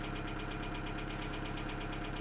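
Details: 2008 Kia Sedona 2.9 CRDi diesel (J3), P0016 crank/cam correlation code returns: sharp rhythmic knock about six per second at idle above the diesel rattle; jumped or faulty timing chain suspected, not confirmed.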